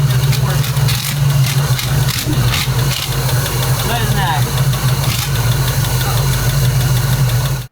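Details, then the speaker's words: Carbureted car with new 2.5-inch exhaust, after vacuum leak repairs: deep steady idle drone with an uneven, slightly lumpy beat that never settles; rough idle, owner suspects another leak, possibly simple. "But you can hear how it's idling. I think we have a leak again somewhere. It could be something simple though."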